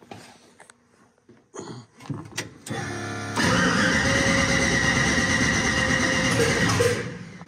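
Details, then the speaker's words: Mustang with single-turbo SBE L33 swap, first start attempt: starter grinds the engine over at an even rapid beat without catching; crank no-start caused by an ignition timing offset in the tune, fixed by removing it. "so the timing offset was definitely the uh problem why I wouldn't want to start"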